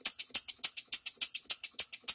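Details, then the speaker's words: One-off English bar stock model engine running on shop air after crosshead machining and bearings, reamed cylinder, new piston with silicone ring and valve timing set: crisp, even puffs about five per second, the earlier knock gone; small inlet air leak remains. "don't hear the knock that we had before we still had to adjust our timing and yeah we do have a leak down here"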